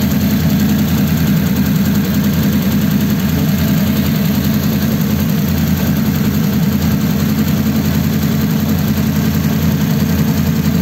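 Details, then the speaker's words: 1933 coupe hot rod, mostly stock engine, just started after a dual carb conversion. Even, steady idle thrum for eleven seconds with no misses, pops or knocks; both carbs drawing, nothing wrong. "nothing wrong with that nothing wrong with that M they're both drawing"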